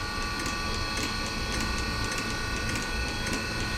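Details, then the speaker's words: Nearly 40-year-old Eberspacher D3L diesel air heater under restoration, flame sensor bridged and glow plug disconnected: fan runs, glow relay pulses, then crisp evenly spaced ticks about every half second over a steady hiss; dosing fuel pump ticking normally. "it's not connected right now maybe that is a problem and now we can hear the fuel pump starting"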